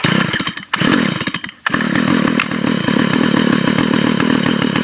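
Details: Stihl FS45 curved-shaft trimmer with no string fitted and the spark arrestor removed (very loud), about 60°F, already started earlier that day. Brief stumble, then a loud high two-stroke scream pulsing steadily on the rev limiter. Normal running.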